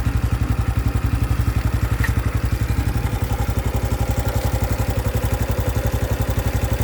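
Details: 2025 Honda Biz motorcycle, new engine noise that appeared after riding under 70 km/h: deep, very even low thumping about four beats a second with light clatter on top at idle; cause not confirmed.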